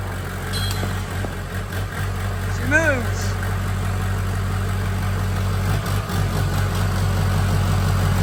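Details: First startup of freshly built engine in diesel mud truck, fluids just added: steady, even diesel idle with a deep regular beat, no knocks or misfires, running smoothly.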